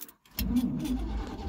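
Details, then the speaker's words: 1974 Chevy C30 wrecker, 350 V8, starts after sitting about five years and settles into a steady low rumble; runs fine after storage. "yes that sounds good gonna have to put a little bit of gas down here sometime but she's running she is running guys five years she's been sitting five years"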